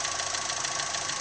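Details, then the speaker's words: Daewoo Gentra at idle: a fast, sharp metallic knock over a hissy idle, coming from the intake side; it stops when a hose is removed and changes when a valve on the intake plenum is pressed; cause not yet identified, and no fault code appears. "Кажется что металлический очень страшно"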